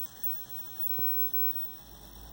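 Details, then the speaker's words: 1963 Montgomery Wards Airline Imperial console television (WG-5974A) under repair: steady faint hiss without rhythm over low mains hum, high voltage leaking off as corona in the set. High-voltage corona discharge. "happens to the best of us hear the corona hissing away there"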